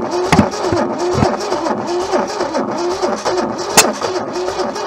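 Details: Junkyard Holden left sitting for decades: weak, lumpy firing with uneven pulses about twice a second that barely holds before dying; long-dormant engine only just running.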